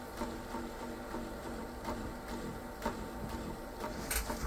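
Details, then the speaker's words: Sony SL-F1 Betamax, eBay unit likely long unplayed, makes a soft, regular ticking putt, about two or three beats a second, steadily through playback; transport motorboating, cause not yet found. "I think some odd noises it's like a a motorboating nobody can hear it"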